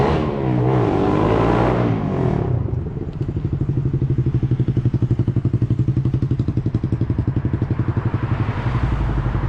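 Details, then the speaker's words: 2012 Honda CBR250R after tank cleaning and new fuel pump, straight pipe before Akrapovic slip-on: short rev then loud open exhaust settles to steady even thumping idle about four pulses a second; owner finds idle slightly weird but fine, letting it warm up; normal idle. "the idol does sound a tiny bit weird still but I don't think perfectly fine computer before so that's good news I'm gonna let it run for a little bit let it warm up and take it for a ride"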